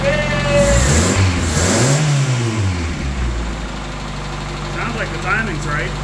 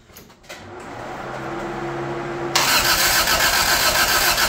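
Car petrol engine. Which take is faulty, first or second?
second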